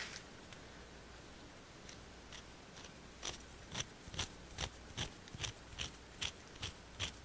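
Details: Porter Cable 7539 3-1/4HP variable speed router, about 20 years old, mostly run upside down in a router table spinning raised panel bits: dry gritty ticking about twice a second, rough and uneven; worn, scored motor bearing (bottom suspected), top and bottom bearings replaced.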